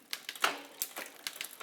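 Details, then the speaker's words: Bicycle rear derailleur after cable tension set with barrel adjuster until shift is made and quiet: light crisp ticks and clean shift click, no grinding or chain chatter; normal smooth shifting. "And then you may want to go a little bit further just to make sure that it's see Oh what the yeah, sound that profile sounds is. smooth."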